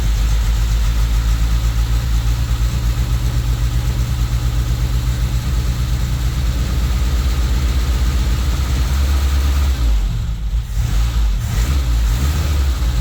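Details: Toyota Tercel wagon with swapped 4A engine and carburettor, running after fitting a Schneider Racing regrind cam with valve springs: uneven, choppy loping idle at about four pulses a second, with the owner amazed it chops better than his truck.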